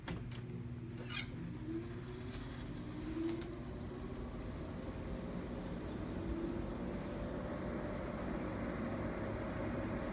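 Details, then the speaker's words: 1984 Carrier Siesta 5000 BTU window air conditioner with a reciprocating compressor, set to fan only on low speed; soft, even low hum and steady whir with no rattles or ticks, nice and quiet on low. "It's nice and quiet on low. Obviously a good bedroom unit."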